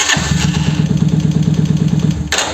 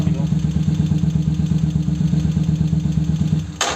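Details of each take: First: 125Z motorcycle, hard and slow starting with an intermittent cracking/thumping noise while cranking, suspected Bendix; rough cranking with harsh thumps about eight per second, engine stops without catching; worn starter motor. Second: 125Z motorcycle starter after repair with new starter motor brushes (old ones burned) and new O-ring: quick steady cranking, no Bendix-like noise, starts faster; normal starter cranking and start.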